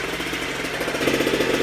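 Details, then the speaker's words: G290RC two-stroke engine on a Goped Super Xped, 2 hours on the engine, Sikk Toys pipe, bigger manifold spacer, unloaded: steady buzzy idle with quick even pulse picking up slightly, clean with no misses; normal idle. "Without the silencer, it just sounds really pingy. Other than that, it's the same overall sound."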